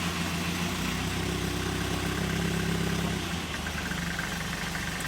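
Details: 1964 Triumph TR4 after tachometer rebuild, gauge cleaning and Lucas 30w ZDDP oil added, just started, no fuel pump heard at cranking: steady, even idle with smooth low beat, no knocks or misses; good oil pressure. Normal idle.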